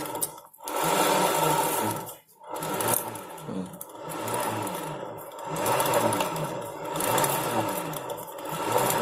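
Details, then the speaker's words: Honda Beat FI scooter CVT, rear wheel spun by hand: rough, gritty "grok grok" grinding rising and falling in waves; mechanic suspects driven pulley bearings (needle and ball bearing), found worn driven pulley needle bearing grinding; complaint of rough CVT noise and shudder at certain rpm. "suaranya itu seperti grok grok grok terus seperti itu tapi saya rasanya dari suaranya itu dari laher mangkok kulitnya yang di depan yang didalamnya itu yang dua itu yang laher bambu sama lahir biasanya itu itu"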